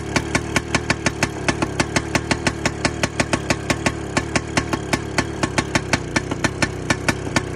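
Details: 1960 crawler tractor: sharp evenly spaced cracks about six per second over a low drone as the old engine struggles to fire and catch; hard starting, cause not confirmed.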